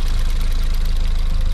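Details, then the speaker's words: Race car ST180 engine at idle: rapid, even ticking tied to engine speed from the cam-driven high-pressure fuel pump, which needs replacing. "this noise that's that high pressure fuel pump that runs off the cam that's ticking away that does need replacing"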